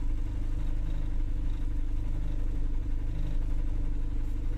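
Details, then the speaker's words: Honda Civic LXi manual, which had been stalling, after ignition timing was retarded, with the aircon idle-up on; low, steady rumble with no misses, dips or surging, no longer dying; normal idle. "idle na lang ng aircon pag idle up umandar na yung dating namamatay sakto naman"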